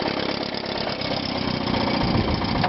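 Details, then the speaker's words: 1957 Sea King 5 hp outboard built by Gale (Evinrude), after tune-up and new fuel pump: steady even two-stroke idle with smooth buzz, slight rattle, no misses or knocks; quiet smooth normal idle. "Cows have got a little rattle in them, but it's a very quiet and smooth running motor."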